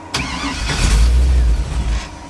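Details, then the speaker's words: 1957 Chevy with Holley system still learning, first time under its own power: catches with deep uneven rumble under two seconds then sags away; hard starting and stalling, cause not pinned down. "they don't like to start I don't like to start for some reason like that it quits"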